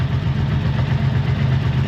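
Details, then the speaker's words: Barn-find 1984 Honda V65 Magna VF1100C that lost power on a ride; pump working and fuel coming through, all pipes hot: low, lumpy idle with uneven pulsing beat; running rough, owner suspects fuel starvation, not confirmed. "just doesn't sound [Applause] right I'm going to let it run for a bit might take it around the block again but there's something not right"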